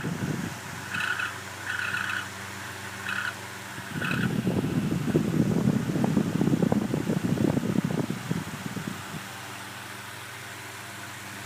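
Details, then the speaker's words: Fan motor hums while short high-pitched squeaks chirp in bursts, loud screech on startup from dry bearings with no oil or grease; fan heavily used in bathroom, near failure. "so did you hear it that was the squeaking sound of the bearings going bad I think this fan is just about ready to die"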